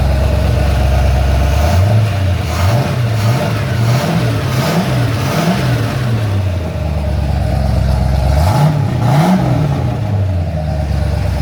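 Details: Ford XC GXL under restoration with a 351 V8, not yet warmed up: a deep V8 rumble idling evenly, with several clean throttle blips that rise and fall smoothly. Normal running.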